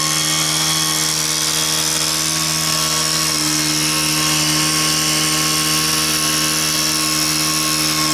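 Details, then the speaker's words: Stihl KM130 two-stroke, after a repair meant to resolve a leak, blowing dust at full throttle: constant high-revving wail, even with no bogging or surging; running normally. "all right so it's actually running perfect right now I'll set these up here and watch me blow some dust around here and listen to her see what you think sounds pretty good I think"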